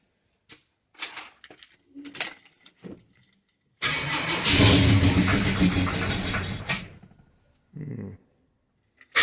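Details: XC Ford Falcon 351 Cleveland V8 with new MSD Pro Billet distributor, static timing 18 degrees: key clicks, engine catches, runs roughly about three seconds and dies, brief weak second attempt; owner felt it had too much timing, cause not confirmed.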